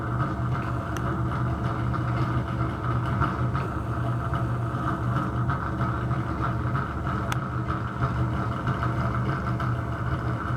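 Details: Bathroom exhaust fan running noisy: steady droning hum with rough rumbling undertone, no clear rhythm; owner suspects bad motor or fan bearing, particle-board-like debris (not dust) fell out when opened.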